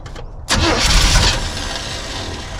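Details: 1976 Chevy K10 V8, ex-mud truck parked about 10 years, first start: after a short crank it catches into an uneven, lumpy idle; rough running, owner thinks ignition timing is a little off.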